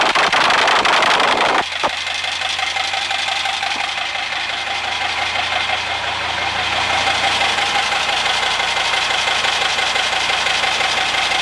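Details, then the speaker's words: 1939 Bristol bus diesel, rebuilt engine on its first start since reinstallation, leaking oil and fuel: loud start burst then steady, even clatter with no misses or knocks; normal diesel start and idle. "so there we go it runs who'da thought it would have started that easily"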